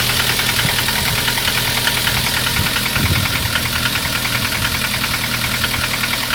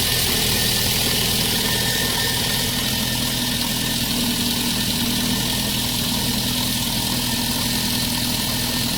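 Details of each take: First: Lada 2114 with 1.6 8-valve 11183 engine: hard, fast, tractor-like metallic knocking over the idle. It knocked from new but quieted when warm; by 20,000 km it also knocks hot. Valve adjustment didn't help; the owner concluded piston slap and replaced C/D-class pistons with E-class. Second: Lada 1.6 8-valve 11183 engine, which had a knock when new that quieted once warm and later knocked hot, fixed by swapping CCCD pistons for E; here a smooth, even idle with a steady hiss and no knocking.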